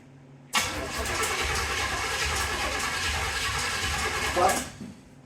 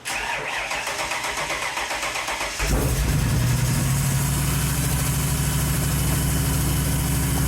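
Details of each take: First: 1931 Ford Model A Coupe hot rod, carburetor swapped back on, first start attempt: starter churns steadily about four seconds, engine turns over but never fires. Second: 1931 Ford Model A Coupe hot rod, first run since November after carburetor work: catches at once and settles into a steady even idle; starts easily and runs well.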